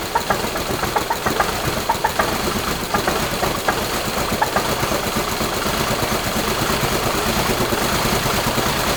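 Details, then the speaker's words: Subaru Crosstrek with a swapped-in 2.5L engine, running a new tune: an uneven, lumpy idle with irregular thumps and chuffing exhaust, the knock sensor going crazy, and what sounds like excess air through the exhaust; suspected misfire, cause unconfirmed. "The knock sensor's kind of going crazy. It sounds like there's like a lot more air traveling through the exhaust than there should be. And it kind of sounds like the motor's fighting itself"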